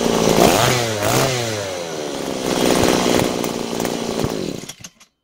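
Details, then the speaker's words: Butane gas-powered brush cutter after carburetor repair (cleaned, gasket, throttle valve, new spark plug; previously started but wouldn't run): revs up and down crisply, runs smooth before shutting off; repair successful, normal running. "Hãy mở van động cơ đang tăng tốc và đang được điều chỉnh. Việc sửa chữa đã hoàn tất thành công."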